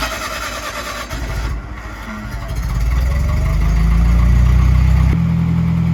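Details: Old gas-powered Hobart engine-driven welder: engine settles, then pulls down into a deeper, steady drone as the weld load comes on, holding evenly. Runs fine.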